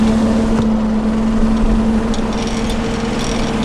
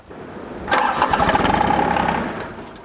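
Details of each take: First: John Deere 755 tractor on a cold mid-November day, running the hydraulic MCS leaf vac on first use after fixes: steady mid-pitched drone, even and unbroken; tractor running normally. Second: John Deere 755 compact tractor in cold weather: engine catches and rumbles for about a second, then winds down and dies because the fuel shutoff solenoid connector has a broken retaining ear and won't stay in.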